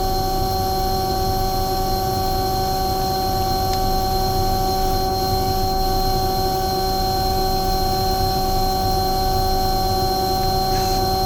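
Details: Omni/EconoHeat/Morrheat waste oil heater burner after cleaning burner and nozzle, setting 12.5: steady unbroken hum with constant fan and flame roar, no surging or sputtering; runs really nice, startup smoke clearing.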